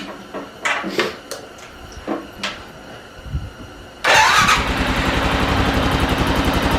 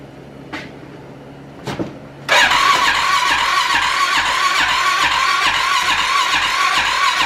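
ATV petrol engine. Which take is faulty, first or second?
second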